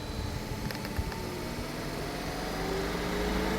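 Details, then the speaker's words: Porsche Cayenne V6 diesel, actuator test via diagnostic tool during no-power fault after DPF cleaning: steady low whir with faint even tone over idle as radiator fans two and one run at low speed; normal fan operation. "fan control unit should come on yep fans working fan number two come on stand number one fan number two"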